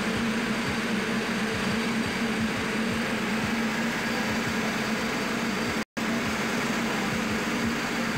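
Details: Main air compressor running while building pressure during after-cooler replacement and a solenoid valve leak check: steady, even pumping rhythm with a constant hum and no knocks or squeals; running normally.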